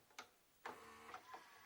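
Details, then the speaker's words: JVC HR-J756MS VHS recorder from 1998 that had been left out in the water, playing a cassette. It makes scattered clicks and clunks with no steady spinning hum; the head drum seems to stop, suspected, not confirmed. "j'ai l'impression que ça la tête de lecture qui s'arrête on va vérifier ça de suite"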